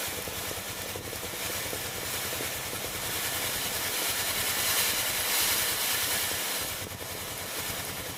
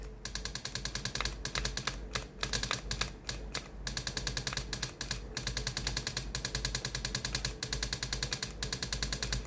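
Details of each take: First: Philips GC7620 steam iron after replacing the water pump (old pump valve cracked): steady steam hiss with faint quick pump pulse, pump working and steam flowing normally from the soleplate. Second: Philips GC7620 steam iron, hot soleplate, steam button pressed: rapid steady pump clatter about three pulses per second in stop-start bursts, but no steam comes out; pump replaced.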